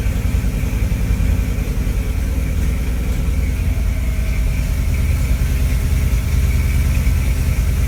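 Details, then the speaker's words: 1963 Corvette Split Window, first start since 1981, after adjusting vacuum advance and carburetor mixture: rough, uneven low chugging after key-off as the engine diesels (runs on), once even running backwards; cause not confirmed. "thousand seems like everything shut it off and it starts diesel in like macron so it's trying to be like it's cousin the Detroit Diesel and it won't blink that church it out try to get to stop then actually start writing backwards at one point so that was kind of interesting"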